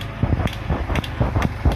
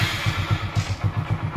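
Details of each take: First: Hero Super Splendor motorcycle won't self-start despite a fully charged 12.56 V battery: sharp, even clicks about three per second from the cut-out relay with no cranking; the engine won't turn over. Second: Hero Super Splendor single-cylinder bike, after refitting the self-starter motor that previously wouldn't start despite a fully charged battery: starter catches and the engine settles straight into an even putt-putt idle of about eight beats a second; starting normally.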